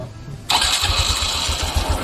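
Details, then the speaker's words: Honda Wave 125 LED with an idle-too-low, stalls-on-throttle complaint: after the adjusting screw is turned fully in then out 1.5–2 turns, the engine catches after a short crank into a slow, lumpy putter that barely holds. Idle is still too low. "ก็ยังเบาอยู่ประมาณนี้นะครับ"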